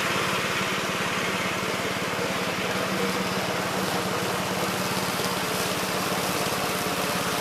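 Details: 1969 Gravely C8 walk-behind tractor after repair of no-high-range fault (drove only in low range, stop-and-go in high); morning start-up, quick even single-cylinder putter at constant speed, no surging or knocking; running normally.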